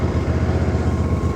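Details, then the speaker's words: Ariens IKON 52 zero-turn mower after deck removal and replacement of all blades: smooth, quick, even pulsing at steady idle with no skips, knocks or rattles; engine and new blades sound good. "Listen to that purr. Now, comes the big test. That blade sounds pretty good."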